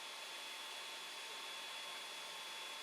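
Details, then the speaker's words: Creality Ender 5 Plus 3D printer printing with silent TMC2208 board; steady airy rush with thin whistle from the 40mm part-cooling blower and hot end fans, owner considering replacing them. "i know this is making a noise like obviously not well a bit of a whistling knife"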